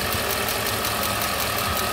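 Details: Mercedes R129 SL500 / W124 E420 V8, warm after the underside secondary pump stopped ticking at temperature: steady, even idle with a smooth, unbroken beat and no knocks or misses; normal running.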